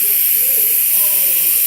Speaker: After that, what you need to do is go to the radiators and release the air from inside it as it comes. I have to open it slowly, anti-clockwise. Then you hear the air coming